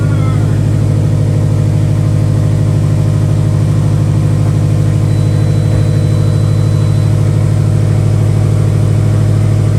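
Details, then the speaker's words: 2016 Subaru WRX STI, started on a jumper pack; low compression on cylinder two. Fires and settles into a lumpy beat of about three pulses a second, like a big cam. Misfire from the low-compression cylinder. "it sounds it sounds like it's missing honestly but you could you mistaken it for a cam if you wanted to"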